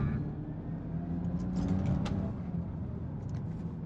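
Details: BMW E9X 325i N52 on town test drive after DISA valve fix for rough idle: smooth low rumble, no stumble or misfire, pulls evenly; fuel economy improved, coils may still need replacement.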